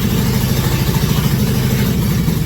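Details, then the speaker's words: 2001 Cadillac Escalade V8 first start, water pump and mid pipes with O2 sensors not yet installed, MAP sensor unplugged; even steady low burble with light throttle, appears to run on all cylinders, normal idle. "So she is running. Feels like it is on all cylinders."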